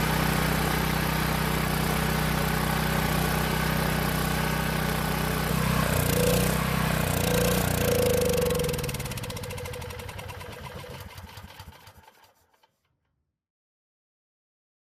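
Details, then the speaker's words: Long-sitting Powermate generator, carb test-fitted without air box and fed fuel directly through short line: holds steady even beat with no misses, then winds down smoothly and stops as fuel runs out; old fuel and carb confirmed as no-start cause. "That pretty much confirms what we suspected. The fuel and more importantly, the carb was keeping us from starting the generator."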